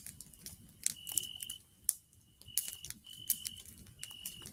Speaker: if you can hear like a squealing noise in the background I'm sorry if no one's heard it's just my pipes because it's an older home